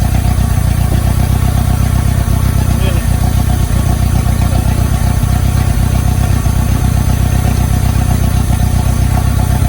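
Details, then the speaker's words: 1990 Mitsubishi Mighty Max at operating temperature, old spark plugs in, just before Sea Foam is fed through the brake booster vacuum line: lumpy, choppy idle with a stumble every few pulses; engine misfire at idle. "So here we go. Got a nice choppy idle. Let's get the seafoam."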